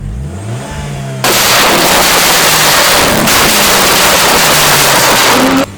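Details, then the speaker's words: MG ZT with a Rover K-series 1.8 and hardwired cooling fans: revs climb and drop cleanly with a little pop and bang behind a loud fan whoosh, no misses or knocks, only a very slight rumble noted. Healthy free revving. "i really like it yeah i'll get around for you there's a nice little pop and bang you're gonna have to forgive the fans there she goes away you know nothing too bad"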